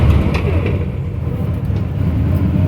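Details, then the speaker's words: 1953 Ford Customline driving after a rebuild of its manual transmission, whose bearings were wiped out, with driveshaft work: steady low road rumble, no whine or clunk through the gears. Normal transmission operation. "it's almost like it feels like an automatic where it goes down into low so I think definitely success the driveshaft had to help as well"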